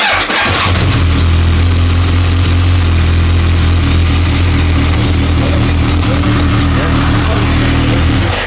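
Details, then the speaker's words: BMW K1200 R, sat for 2 years, hot at just over 100 degrees with the fan on, after the throttle cable check: quick catch on the starter, then an even, steady idle until shut off. Slight clutch rattle noted. Normal hot start. "So fan come on eventually, yeah? Yeah. Right. Just over 100 degrees. So, yeah, it's all good."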